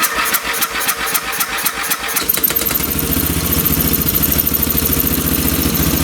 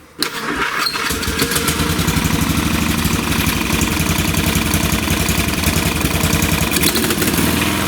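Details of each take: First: Free late-1980s/1990s lawn tractor, fresh gas, fuel valve on: pull-start chuffs, then the engine catches but runs with an uneven, stumbling beat off the choke, lean; the carb screw is turned out further (about two turns). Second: Free old (late 1980s–1990s) lawn tractor after carb cleaning and air/idle/fuel screw adjustment: cranks and catches quickly, then a steady, even single-cylinder run with no stumbling or hunting; mixture sounds right; normal running.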